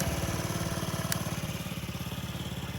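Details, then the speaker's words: Honda Ruckus scooter after a fuel pump replacement, one of two both now running: quick, regular putt-putt at steady idle, evenly spaced beats with no misses; running fine. "Well guys, I got them both running. They seem to be running good."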